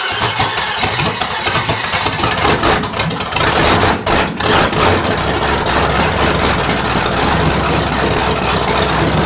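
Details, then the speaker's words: '73 Canadian truck Chevy 350 V8, rebuilt with a replaced piston and rod, big cam and fuelie heads, on its first fire-up: loud, busy running with an uneven, loping cam rhythm that holds steady, strong and healthy. "she's already making the noises I want to hear it make to make it know that everything's okay"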